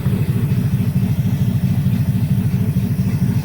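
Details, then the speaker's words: 1961 Cadillac Coupe DeVille, cold start in summer heat after about four months sitting; a backfire blew out one brand-new muffler, so one side runs straight pipe. Deep, even idle booming far louder than stock with raw open-pipe rumble. Blown muffler. "she backfired something fierce and uh blew up the muffler one of the Mufflers brand new muffler at that so running on straight pipes on one side"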